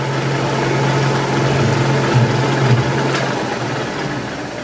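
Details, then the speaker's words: Powered lathe slotter machining slides, light cut: constant geared drone, low whirr and faint higher whine, no knocks, from the table drive through the back gears; ordinary. "you can hear when I'm drinking the table Becky's the is the driver for the table then gone through the back years it's a tends to make all the noise"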